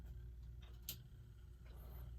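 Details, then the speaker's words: Telechron Vagabond ship's wheel clock, model 4H89 (c. 1939-42), after frozen-rotor repair and reassembly, powered on: a quiet, steady low hum with faint light ticks. The synchronous motor is running normally. "And it's running."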